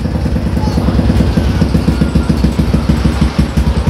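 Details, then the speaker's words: Old Yamaha Jupiter MX on a cold morning, hard starting: lumpy uneven idle misfire, stumbling as if choked; fixed by replacing the original automatic fuel valve. "berbeda temen-temen tuh kayak dia ngecok gitu ya"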